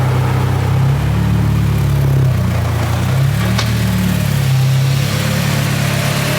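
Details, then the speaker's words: Freshly built K24A-swapped Integra Type-R just after first start, before injector work: smooth even low idle with steady quiet hum, no knocks or ticks; idling cleanly. "sounds really really quiet for a car that just got built this thing is super super quiet"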